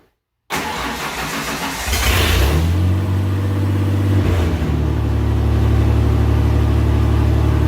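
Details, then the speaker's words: Ford F100 project first start after fitting MAP sensor, no exhaust: cranks briefly, catches cleanly, settles into loud, steady, even idle; no power steering pump whine heard; normal start and idle. "i don't even hear the power steering pump lining which is completely odd"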